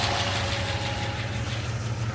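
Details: International Travelall V8 idling steadily with an even beat and no misses or stumbles after about 25 miles of driving, with the flame arrester removed; the carburetor bogging and black-smoke problem is reported fixed; normal idle.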